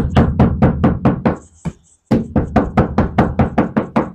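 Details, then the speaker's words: Hyundai Stargazer roof panel tapped bare with headliner and seats removed, before Vtech sound deadening; hollow, tinny knocks about twice a second, thin steel with no damping. Owner complains of toll-road cabin noise, rain noise and heat. "bagian plafon dan Lantai bangku-bangku sudah kita bongkar semuanya dan kita akan pasang dan akan kita tebalkan di bagian plafon bunyinya seperti ini"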